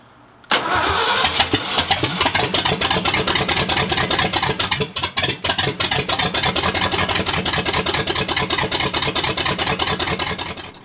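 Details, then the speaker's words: Brand-new 351M in a 1979 Ford F250, first start attempt with gas poured into a gummed-up carb bowl, timing at 0: long crank with rapid, uneven pops and cracks, never catching. Owner thinks the timing needs advancing. Backfiring on cranking. "and I'm getting some serious backfire, so clearly timing is off. It's not where it needs to be."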